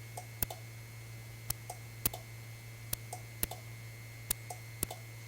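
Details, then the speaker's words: 1952 Guide Autronic-Eye vacuum-tube automatic headlight dimmer on a 1953 GM car: sensitive relay clicks irregularly, about once a second, over a low hum with no output at the bulb; bad connection or dirty relay contacts suspected. "I hear something clicking the sensitive relay is clicking I'm not getting anything at the bulb the fact that sensitive relay is clicking is good news"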